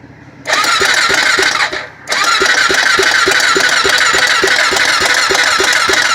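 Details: Honda 400EX ATV, throttle held partly open: two cranking attempts with short pause, even compression beats about three a second, no firing at all; turns over but won't start.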